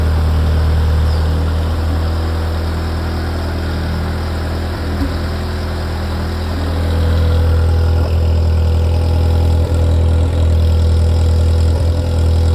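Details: Ferrari F355 engine after the front-of-engine noise heard from tens of seconds after start has stopped: steady, low, even idle hum with no knocking or tapping; idle smooth and settled.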